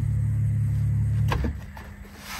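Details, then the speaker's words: MGB GT with an old Facet electric fuel pump, cleaned and reassembled, before restarting: steady low buzz holding evenly for over a second then cutting off cleanly; fuel pump actuating normally. "allez on va tester voir si la pompe s'actionne et nickel on entend"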